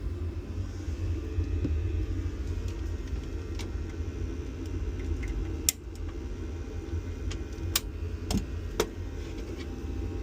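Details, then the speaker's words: Vaillant gas boiler on maximum rate, manometer on gas valve reading 15.3 mbar versus expected 18.5 mbar at meter; steady low burner roar with sharp clicks, starved by low gas supply pressure. "As you can see now, it's not looking very good. We've got 15.3 millibar at the gas valve."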